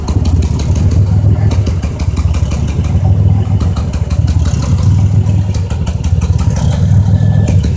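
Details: 2005 Chevrolet Impala, 3800 engine: deep uneven idle stumbling roughly every two seconds, now setting P0305. The #5 spark plug, wire and injector were replaced without success. Cylinder 5 misfire, cause unfound.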